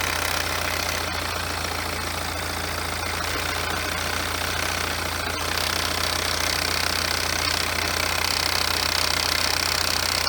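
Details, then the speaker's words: BMW F34 320d with B47 diesel, manual, all-wheel drive, about 150k, heard during inspection: idling with a steady high rough whirring whine over the clatter; worn, noisy alternator, a very rare fault on this model. "nieźle hałasuje co Rzadko się to zdarza Nawet powiedziałbym że to się w ogóle prawie nie zdarza Słuchajcie Głoś jest alternator"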